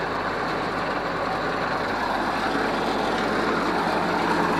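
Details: Ford 641 Workmaster tractor pulled from pasture after 10+ years, starter rebuilt, tank boiled out, rewired, warm weather no choke: steady, even engine rumble with no knocks or misses; normal unloaded idle.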